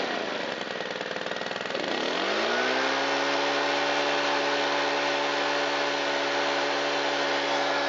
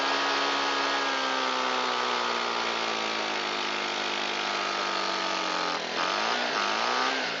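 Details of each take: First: Shindaiwa EB254 Hybrid4 4-stroke handheld blower that had sat long and would not start, restarted after cleaning the air filter and foam filter and fitting a good fuel filter (valves not adjusted): a smooth, steady high drone with no surging or misses. It runs fine. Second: Shindaiwa EB254 Hybrid4 4-stroke blower, long unused, on fresh mixed fuel with choke and throttle locked: holds a flat, strained mid-speed drone and sags instead of climbing to full revs. Owner suspects stiff carburetor diaphragm and pump parts.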